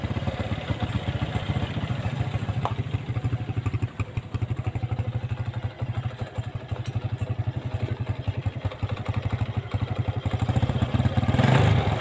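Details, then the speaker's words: Honda Blade (small-body) motorcycle after repair; small single idles at a steady, even beat about four pulses a second with no chain rattle or clatter, sounding smooth and healthy. "Oke untuk suaranya halus ya hasilnya halus"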